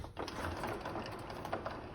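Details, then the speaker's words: Car running with a fast, light lıkır-lıkır rattling; gearbox said to be not very good. "lıkır lıkır lıkır lıkır lıkır seslerde var"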